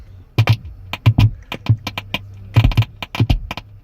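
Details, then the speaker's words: 2009 Chevy Traverse with intermittent static: sharp, irregular pops and crackles from all four speakers over a low hum. It is triggered by the radio, turn signal, Bluetooth calls or backup camera, sometimes after 10–20 minutes of driving; the cause is unknown (amp, wiring or speakers). "That's coming from all four speakers."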